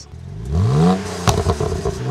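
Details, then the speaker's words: 2009 BMW Z4 E89 sDrive35i, bought used, with downpipes, original mufflers, possibly empty cats and a mixture control message: engine revs, then loud, sharp, high-pitched exhaust pops and crackles on overrun; owner suspects the cats are empty. "have downpipes as you can hear the sound is crazy the pops are pretty high pitch and they strong i don't think the oem system would do that"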